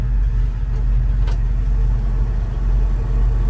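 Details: 1970 Chevrolet K10 4WD stepside shortbox, 350 V8, 4-speed manual, manual choke, valve cover/oil pan gaskets and rear main seal replaced: just started, deep even V8 idle with smooth steady rumble and fan noise, good oil pressure; normal healthy idle.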